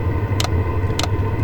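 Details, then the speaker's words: Chinese diesel heater at Rocky Mountain National Park in a blizzard, needing several tries to light; low rumble with sharp fuel-pump clicks about every half second, exhaust flowing, starting to fire; owner suspects altitude affecting air-fuel ratio. "Alright, so this thing just started firing up. I had to try it a few times for some reason. But the fuel pump's clicking. We've got exhaust going."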